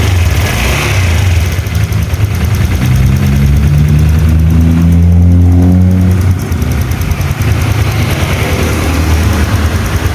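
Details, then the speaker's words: Old Honda Vario 125 LED scooter after repair: steady low engine note with a brief smooth rev and settle, no knocking or rattle; runs smooth, no radiator bubbles indicating head gasket leak. "Untuk suara mesinnya sudah halus, kita cek di bagian radiator, usahakan itu nggak ada buih ya, karena kalau ada buih itu biasanya itu packing head itu bocor ya."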